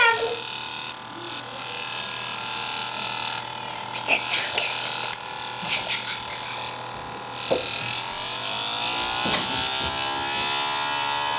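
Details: Dell XPS 1340 laptop, TSSTcorp TS-D633A DVD drive: thin raspy buzz with high whine rising in pitch as the drive spins up; cause unknown.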